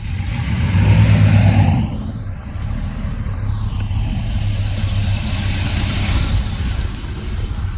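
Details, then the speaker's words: Tow truck back running after repair, test drive: steady low engine rumble with brief rev, settling to even run; runs okay now, though owner notes it has died when hot and won't restart, cause unknown. "Sounds like it's running okay."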